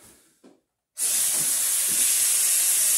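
A short quiet stretch, then a sudden loud steady hiss of air rushing back into the chamber: a normal vacuum release.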